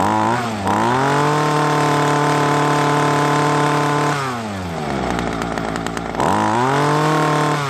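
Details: Ryobi two-stroke string trimmer, stored for years with broken primer bulb, after carburetor service and new primer bulb: runs steady and crisp, drops cleanly to low idle, picks straight back up; running properly.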